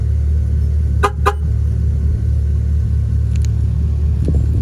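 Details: 2005 Silverado with installed Viper remote start and alarm, cats deleted and Flowmaster Super 10 exhaust, idling; two quick horn chirps over a steady low idle rumble as it locks; normal alarm lock chirp with engine running.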